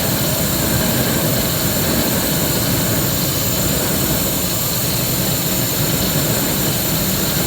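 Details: 2001 Ford F-150 5.4 2V Triton gasoline engine: loud hissing, sucking whoosh over a lumpy, uneven idle that fades as the engine starves and stalls, sounding as if not getting enough air; cause unknown.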